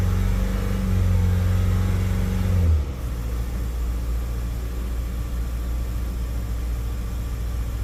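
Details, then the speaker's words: Mazda CX-5 2.2 twin-turbo diesel (SH engine) after feed pump replacement for hard starting; catches, revs high, then drops cleanly into a steady, even low idle without dying. Normal start and idle. "yan umaandar na siya hindi na namamatay Abangan natin baka biglang mamatay na naman"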